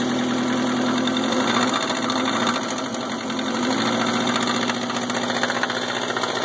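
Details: Subaru EA81 engine runs well with a smooth idle, no missing and good gauge oil pressure, yet a loud, harsh, uneven clatter of about four knocks a second rides over the idle; engine knocking, cause unknown.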